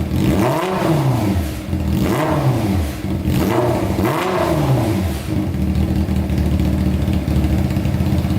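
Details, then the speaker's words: Honda CBR600 four-cylinder engine in a custom go-kart, waiting for the fan: crisp, even blips through the revs, then it settles to a steady idle with no misses or knocks, described as amazing. Normal free revving. "that is insane that is sounding amazing pretty puffy"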